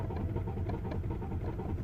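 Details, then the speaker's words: BMW 118d E82 diesel that cuts out under load, cranking with no start: slow, even cranking thumps with no combustion; rail pressure only reaches about 130 bar versus roughly 300 needed, supply pressure about 5 bar. "tried to go in but he doesn't go above about 1 30 so I'm gonna stop so you get to about 1 30 and stops"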